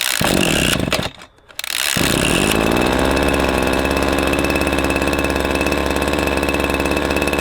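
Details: Husqvarna 321S25 two-stroke engine sprayer started after disassembly and reassembly of the carburetor and easy starter. Catches after a brief stumble, then holds a steady, even buzz with no misfires or hunting. Running normally.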